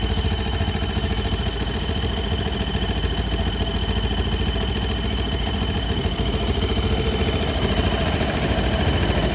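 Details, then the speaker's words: Warm Yamaha Jupiter MX New single-cylinder at idle: a thin, steady high whistle over the even putter, louder as the engine gets hotter. The radiator fan is not spinning; the source is believed to be the cooling system near the water pump, possibly a leak. "nah ini sudah mulai keluar suarane tuh makin panas makin keras"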